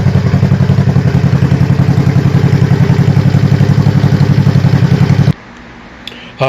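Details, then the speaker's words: Honda CB350 after fitting a Common Motor carb kit and a first re-jetting attempt: even, quick exhaust pulses from loud pipes settle into a steady idle with no hunting before shutting off. Throttle now returns to idle, which was a problem before; better but maybe not perfect. "so i'm thinking that is a lot better i'm very happy with that um as you can see was i was blipping the throttle it came right back down to idle which i was having problems with before"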